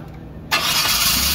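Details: After a no-spark ignition fault was fixed and spark confirmed at the coil, the engine cranks briefly, catches cleanly and settles into a low, steady run. Normal start after repair.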